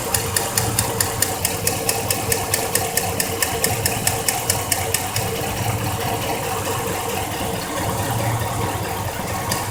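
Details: 2004 Chevrolet Silverado V8 idling, warm: rapid light ticking mimicking lifter tick or piston slap, actually a loose spark plug letting the GM plug boot metal shield rattle against the block; re-torquing the plug resolves it.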